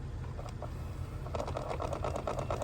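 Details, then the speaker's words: 2005 Toyota Sienna blend door actuator switched between cold and hot: fast regular clicking over low hum; failing part caused no heat, removing it restored heat. "you can hear it sometimes if it's bad it makes a clicking noise like it is doing now"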